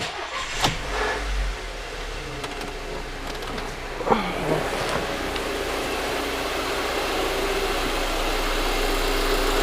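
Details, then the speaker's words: 2008 Volkswagen Passat FSI petrol engine starting and idling with fast, light direct-injector ticking, normal for this engine and quieter than a separate ticking noise being chased. "as you can hear that that is what a normal t uh normal fsi engine sounds like the injectors are very noisy they make a lot of noise but that's actually pretty quiet compared to the sound that i'm picking up with the ticking noise"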